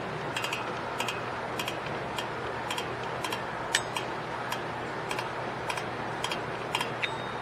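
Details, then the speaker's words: 2010 Toyota Corolla rear drum brake, after new shoes, hardware springs and wheel cylinders, star wheel turned: crisp ratchet clicks about twice a second; adjuster lever now catching, previously silent because the arm was popping out. "you hear clicking now wasn't clicking before cuz that little arm back there was not making contact because that was popping out"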